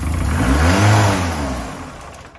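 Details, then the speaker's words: Ford Fiesta RS Turbo, all-original after 17 years stored in a garage, first revival start with throttle; it catches and revs, then the revs sag and die unevenly, a rough stumbling run. Fuel starvation suspected, fuel pump to be rechecked. "Just sounds like it's fuel starvation. Yeah, we're going to have to double check that pump again."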